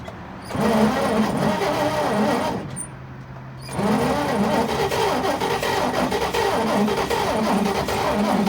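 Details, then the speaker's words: 1941 Chevrolet pickup, first start attempt after 40 years in a junkyard, seized piston freed with transmission fluid: rhythmic cranking briefly catches, drops out, cranks again without settling; carburettor too gummed up to pass enough fuel, removed for rebuild. "So after a few more tries, we just decided that the carburetor was too gummed up to be letting enough fuel in it for it really to run."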